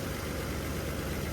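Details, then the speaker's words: 1981 Chevy C10 V8 idling smoothly in the yard after new spark plugs, low on fuel (about two gallons); steady even rumble with no misses or ticking; ignition sounds healthy, and the plug wires seem fine. One front plug had wet oil. "sounds like I don't need to change my wires. Man, that that's cool, man. I'm pretty happy about that."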